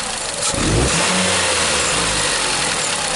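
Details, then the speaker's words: 2007 Nissan Sylphy (KG11) MR20 engine with P0304; on throttle snaps the engine stutters and breaks up instead of revving cleanly, while cylinder 4 burn time looks fine at idle; cylinder 4 misfire under load, possibly a faulty plug. "But for some reason, when you step on the X, it sounds like it's breaking up."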